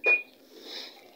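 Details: Panasonic 8 kg top-load automatic washer, after removing a lodged object that had made fill water drain continuously, with spin started. One short sharp high beep as start is pressed, then quiet room hiss; panel responding normally.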